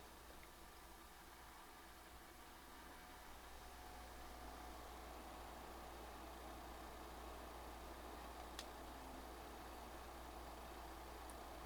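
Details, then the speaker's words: PlayStation 5 Pro cooling fan as Marvel Spider-Man 2 starts, around 48 dB in menu; soft steady airflow hiss, no ticking, rattle or whine; moderately noisy but normal under load. "I will say the PS5 Pro is not necessarily quiet nor is it agnostically loud but the fan definitely does generate some noise"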